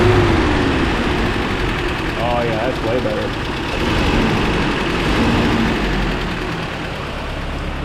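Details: 1994 Toyota Pickup work truck idling after new starter and new fuel filter fitted: steady idle, slightly uneven in places but no obvious stumble or knock, noticeably smoother; normal idle, not yet road tested.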